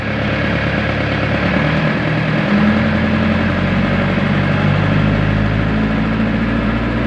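A diesel generator idles with a steady, even low rumble and no knocks or hunting.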